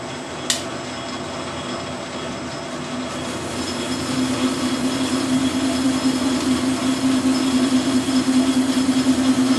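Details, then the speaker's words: Lathe facing the spindle of a dividing head with a right-hand knife tool under power feed; a steady squealing ring builds under the cut over the motor hum. The tool chatters, changing spindle speed didn't help, and a faster feed cut better. "As you can hear, I've got a bit of chattering going on. I've played on with the speed, it'll be no difference."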